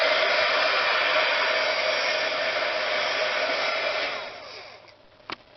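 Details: HG-300D heat gun, 5-6 years old, started straight out of the freezer after intermittent failure to start: steady rushing blow with a thin even whine, then spinning down; owner suspects a mechanical issue; fan motor whine, cause unconfirmed.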